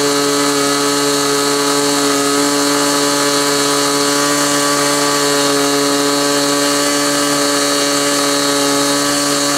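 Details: Glow engine on SIG Kadet LT-40 during break-in, needle at about one and a third turns: steady high-pitched buzz at one speed, no surging, sag or misfire; running smoothly, possibly a little lean at idle.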